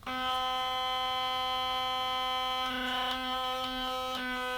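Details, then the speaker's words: Philips Sonicare DiamondClean HX9340 electric toothbrush: harsh, steady high-pitched buzz, louder and rattlier than before, from a small internal screw vibrated loose. "And the problem with it is, it's vibrating loudly here, it's gone loose."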